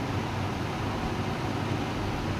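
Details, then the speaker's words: Whirlpool 6.2 kg fully automatic washing machine making a loud, steady, helicopter-like rushing roar with a deep rumble underneath; a worn gearbox is suspected, and replacing it is being considered. "Customer क नाम कि helicopter जैसा आवाज करता है तो अभी हम लोग इसको चेक करेंगे इसमें क्या प्रॉब्लम है"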